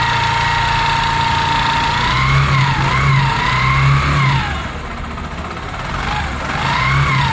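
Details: Used Bajaj Discover 100 motorcycle that overheats and makes a "koko" noise on throttle: single engine rising and falling with throttle, whirring tone and uneven knocking; tappet cover opened shows overly tight, hot parts inside; worn timing chain.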